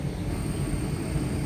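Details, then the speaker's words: Motor on Danfoss VLT2800 VFD after servicing with replaced cooling fan, running at 41.41 Hz: steady even low hum with faint high drive tone, no knocks or rubbing; normal running. "Okay, ഇപ്പോൾ motor running ആണ്."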